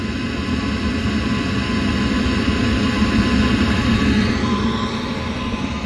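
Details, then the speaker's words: 8 kW 12 V diesel air heater installed in a Bayliner 2455 Ciera boat, running a while: steady, even rushing draw of air at the installed inlet with a low hum beneath, no pulsing or sputter; normal intake airflow. "that's the inlet i installed [Music] to the intake you can hear it's sucking air"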